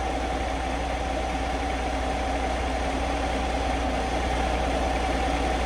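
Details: 2023 Kenworth W900L diesel in 3° cold, idling after a failed relay was replaced and fuel pressure was restored: deep steady rumble with an even beat and no stumbling or surging, a smooth healthy idle.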